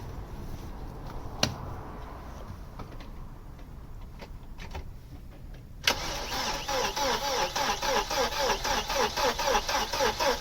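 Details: Opel Omega A GLS 2.4i CIH estate, parked in a barn since 2003, cranked on the key without preparation: starter turns easily at three to four turns per second but never fires; crank, no start, fuel delivery unconfirmed.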